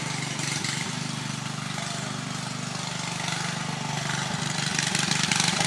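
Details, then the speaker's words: Riding mower single-cylinder engine, cleaned of water and refilled with new oil, jump-started at the solenoid with choke: loud, raw, harsh uneven popping beat. The loose muffler leaks exhaust, and it backfires. "The muffler is not really attached all that right, so it's really loud, it backfires, and the wheels aren't really attached."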